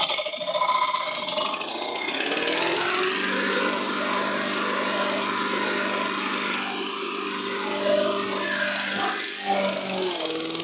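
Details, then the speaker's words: Lawn mower running after blade replacement: steady whooshing hum from the deck at even speed, smooth with no knocks or rattles, air blowing out the catcher; healthy, pleasing sound. "it makes this fantastic hovering noise. It's so good. It's a very pleasing on the ears."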